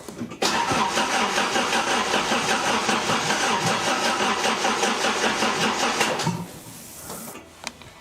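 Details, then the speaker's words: Engine with a newly fitted crank angle sensor, only one coil connected, battery getting low, in neutral: several seconds of steady cranking with a few uneven sputters that never catch. It cranks but won't start. "I definitely heard some sputter, but not anything good. Just one coil is hooked up, yes. Battery is getting low, but it's still turning over fine."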